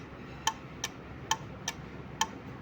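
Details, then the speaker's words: Relay clicking in crisp on-off pairs as a sensor-kit relay on pin 5 switches an AC night light in an SOS Morse pattern (three short, three long, three short, then 3-second pause); normal relay switching. "so short P is for S and then SOS and then it will wait for 3 second so you can hear the relay clicking so this is like the SOS code flashing"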